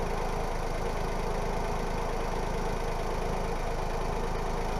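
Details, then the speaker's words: Smart ForTwo 451 Brabus after a DIY welded flex pipe repair: petrol engine idling evenly with a deep steady exhaust burble, no ticking or puffing, so no exhaust leak. "like i say this is a brabus exhaust um so it should sound a little bit more sporty i'm sure you can tell from that clip"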